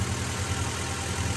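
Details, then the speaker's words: Acura Integra GSR B18C1 after ACT clutch and lightweight flywheel install, first start of the year after sitting: took a while to start, then smooth, even idle with low rumble, no knocks; clutch still sticking, needs adjusting/bleeding. "sounds good too good yeah there we go you took a minute to start because it's been sitting for a while"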